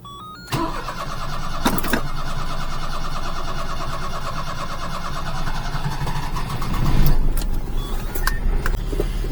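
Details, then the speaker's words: Micro van (SE1 E13) after driveshaft work, started with the choke on and at high idle. A long starter churn before it catches, then a fast, slightly uneven idle: hard starting. The owner suspects flooding and may check the spark plugs. "i don't understand why it starts so hard i think it's flooding and i probably should pull spark plug out just to look at it and see if it needs plugs"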